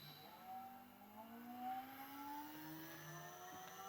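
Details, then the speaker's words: Holden Astra electric power steering pump fitted in a 1988 Honda Prelude conversion and supplied with 12 V: a smooth whine climbs in pitch as it spins up, with no grinding. It draws about 27 A while holding pressure and works normally. "I'm using one of these Holden Astra power steering pumps draw some pretty heavy current but it's got a little control circuit here which if you supply it with 12 volts you hear it fire up"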